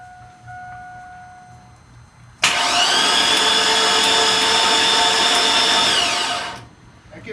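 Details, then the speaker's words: Chevy 5.3 LS engine, 252,979 miles, spark plugs out and fuel pump disabled, in neutral: even high starter whir with no compression pulses, cranking to build oil pressure before first start. "we have no spark plugs all right seems like this have got oil pressure read on that stick in neutral and see if we can crank it up"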